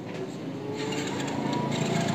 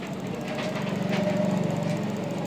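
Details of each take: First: Hero Splendor iSmart motorcycle that died after about 1 km once hot: the starter whirs and turns the engine over but it never fires. No current reaches the HT coil; a faulty CDI is suspected, not confirmed. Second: Hero Splendor iSmart, cold, with new CDI fitted after it cut out when hot with no current: single idling at a steady even beat, no misfire; current arriving properly, runs normally.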